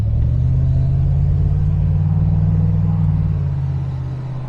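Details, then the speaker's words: 1996 Range Rover P38 V8 cruising slowly with the window down: smooth, deep burble that fades evenly as it pulls away, with no rattles or misfires. Healthy running. "Now that is a noise I absolutely love."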